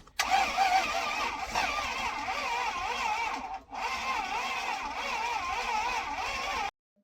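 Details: Junkyard Toyota V8 freshly installed in a 1st-gen Tundra after blowing two connecting rods, second start attempt with starting fluid sprayed in: the starter whirs with a rising and falling pulse for about six seconds but never catches. Crank, no start.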